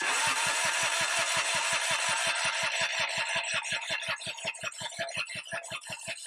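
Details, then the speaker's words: Kubota G5200 HST diesel mower sitting for years; steady cranking about 160 compression pulses a minute with no firing, electric fuel pump at rear not heard clicking, diesel smell: crank no start, no fuel delivery. "I don't hear this fuel pump. Supposed to be a click clack fuel pump here in the back. [Applause] We're not pushing any kind of fuel here."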